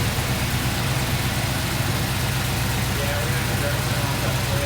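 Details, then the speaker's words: Kaden's K5 Blazer idling high, about 1000 rpm with the IAC reading zero. Steady, slightly fast idle with no miss or knock. An open hole was found that they may have to plug. "about a thousand RPM right now oh yeah it's about a thousand thousand and the niac zero so we will have to"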